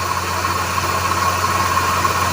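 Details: Idling VW engine, heard via automotive stethoscope at the accessory belt: steady, rough whirring over the low hum from a worn belt idler (guide) pulley bearing, replaced along with the tensioner.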